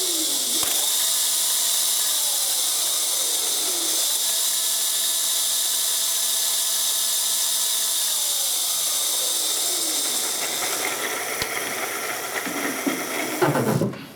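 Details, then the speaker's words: Razor MX500 converted to 48 volts, with the rear lifted, a 40 A inline fuse and a jumper on the switch: twisting the throttle brings a clean motor whine that climbs, holds pitch and drops smoothly with no grinding, so the motor sounds healthy. "okay we got power sounds great sounds healthy"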